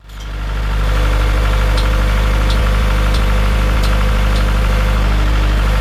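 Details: Farmall Super M tractor engine, before the rebuild: sharp metallic knocks about four a second over the low idle rumble; knock inside the engine, cause still unknown.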